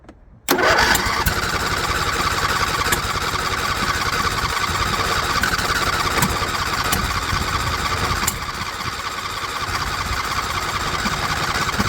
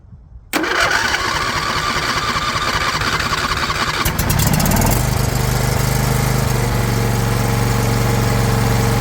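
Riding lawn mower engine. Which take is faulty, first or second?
first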